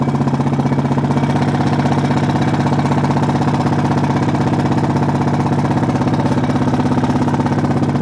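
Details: Honda Foreman single-cylinder idling with even rapid top-end tick about four per second matching engine speed; valves already adjusted correctly, owner suspects timing chain, unconfirmed.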